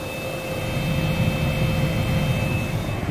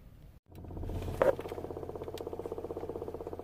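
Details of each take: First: 2007 Toyota Avalon after replacing the blower motor, with the engine running and the AC on: a steady rush of air with a constant faint fan whine and no surging or hesitation. The new blower operates normally. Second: 2007 Toyota Avalon blower motor under the passenger-side glovebox, on high: steady hum with faint uneven ticking and hardly any airflow; motor going in and out and noisy, failing blower motor before replacement.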